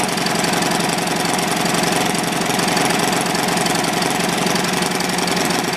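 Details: Old, worn Clinton B700-series single-cylinder engine (model B704, possibly ex-rototiller), choke on, gives a steady, even beat with no misses, surging or knocks; running smoothly, a tad smoky.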